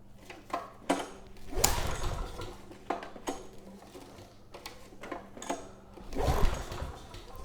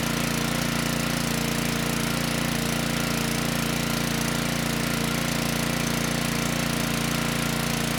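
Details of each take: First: Generac WheelHouse 5500 W generator with Briggs & Stratton engine 204412, refueled with a new air filter, choke on then off: repeated recoil pulls turn over with no firing; compression feels good, so lack of spark is suspected. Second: Generac-branded Briggs & Stratton WheelHouse 5500 W generator (engine 204412-0142-E1), even steady drone, perhaps a touch slow, after ignition coil replacement; output 123 V, engine speed slightly slow at 58 Hz, to be adjusted. Earlier no-start, water found in tank.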